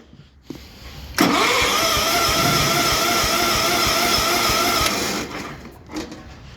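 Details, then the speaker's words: 1974 International Harvester Cub Cadet 1650 hydrostatic tractor, 16 hp Kohler engine, cold start: engine grinds over on the starter, catches and runs ragged and smoky for a few seconds; hard cold start. "oh I just Smokey one there we go that was a cranky cold start"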